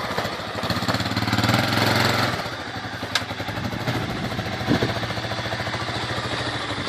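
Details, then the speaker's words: 1985 Honda 250SX ATC three-wheeler, restored from a basket case, first kick start: single cylinder thumping at a fast idle, revving briefly and settling back, firing steadily. Normal running. "Alright boys, there you have it. 1985 Honda 250 SX, back up and running."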